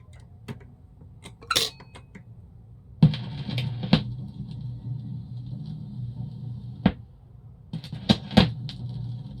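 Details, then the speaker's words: RCA Victor RP-190 45 record changer, converted to stereo, playing a single record on first record drop: low steady droning rumble under playback with light clicks; owner blames very small platter and gap under record; turntable rumble. "I'm going to use a single record because the main problem is the first record drop the rumble is very audible"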